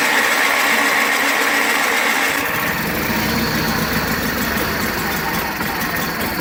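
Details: 1985 John Deere 318 twin, cold start after three months in storage with gas poured in the carb and choked: it catches and settles into a steady, even putter at idle. It runs cleanly with no misses.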